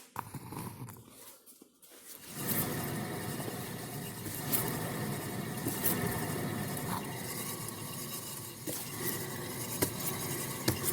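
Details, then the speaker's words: 2017 Subaru Crosstrek, driver's side rear wheel spun by hand with the microphone next to the tire: a dry, gritty, scraping rumble from the worn rear wheel bearing. It was heard as a growl at 15–20 mph and the hub assembly was replaced. "Well, curious to see how that picks up on the camera, if anything, but the driver's side wheel bearing is making noise. Sounds dry and noisy."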